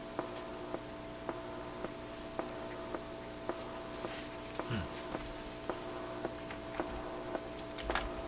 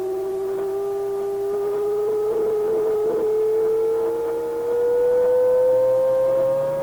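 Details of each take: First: Atwater Kent 944 tube radio during alignment check plays clean steady tones with a soft tick about once a second; the earlier hum is gone after grounding a can that was picking up hum. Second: If I go too far, it flips into oscillation on its own. It becomes another oscillator. So I think that's the problem there. That's why we're getting the howl.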